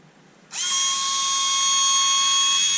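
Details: Bosch Go 3.6v Pro screwdriver, bought as not working and not charging, during repair: small motor spins up sharply and holds a steady high whine with no grinding or stutter, running smoothly.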